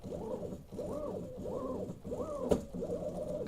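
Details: Workbee 1010 CNC with PSoC5 GRBL port and limit switches, jogging toward home. Stepper whine rises and falls in short bursts about every 0.6 s with brief stalls; jerky motion from a firmware timing delay.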